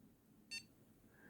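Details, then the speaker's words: Homemade motion controller for fixed-wing FPV drones, unlocked: one short high beep in a quiet room as the tilt dot leaves the command zone into the buffer zone, a preliminary warning the controller is tilted too far. "That single beep there is just letting you know that you've reached the edge of the command zone and that you're tilting the controller too far."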